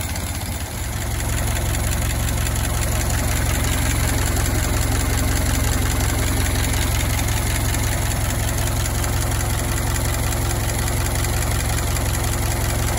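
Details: Old four-cylinder Model T farm truck, barn find left for years in a tool shed, first start after simple repairs: steady, slightly lumpy low idle with an even beat and no knocks; runs fine.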